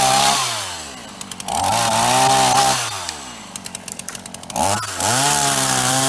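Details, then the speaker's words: Repaired Ross chainsaw after fitting new heavy-duty vacuum hose, cutting dead privet. It screams up cleanly, holds strong revs through each cut and drops to a steady idle with no leaks; normal cutting under load. "Well, it ate all that up for breakfast. No trouble at all."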